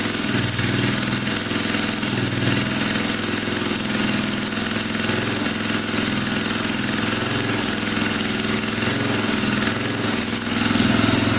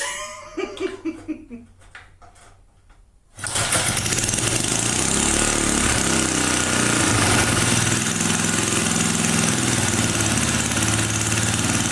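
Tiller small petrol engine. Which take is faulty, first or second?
second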